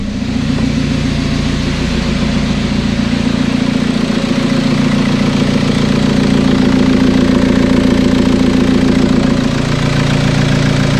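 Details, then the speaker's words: TDI diesel swapped into Toyota Tacoma, first start after engine and wiring work, no coolant in it: steady even diesel clatter at idle about three and a half pulses a second, no knocks or misses; healthy. "everything sounds really healthy i'm not trying to run it too long right now especially because there's no coolant in it"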